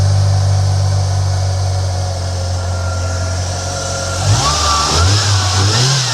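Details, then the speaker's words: 1993 Ford Mustang Foxbody 2.3 Lima four-cylinder after new lifters and then new fuel injectors to chase an idle tick: smooth steady idle, then a clean rise in revs without stumbles or misfires; sounds like a regular car, normal revving. "All right, fire in the hole. Hey, it almost sounds like a regular car."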